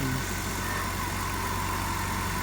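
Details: BMW 330i, 18 years old, first start after sitting nine years, with new battery, fuel pump and fuel sending unit. It cranks, catches at once and settles into a smooth, steady idle with no stumble or misfire.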